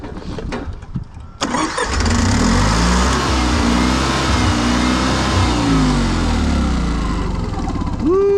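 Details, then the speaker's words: Honda EV6010 generator in a '76 GMC Transmode motorhome: it cranks, catches and runs lumpy and uneven, spitting gas and water from the exhaust; owner suspects a stuck float or leaking needle and seat in the carburetor. "Oh, that's that sounds promising. Still sounds promising. I think it needs to kind of throttle itself a little bit. It's trying to start."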